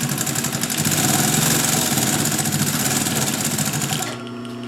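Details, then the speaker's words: Vintage German Pfaff 134-0-6 industrial straight-stitch lockstitch machine, tacking forward and reverse through 3 layers of tight-weave polyester webbing. Fast, even stitching clatter at nearly four stitches a second stops cleanly: smooth, normal sewing. "You could sew multiple layers of this webbing, no problem."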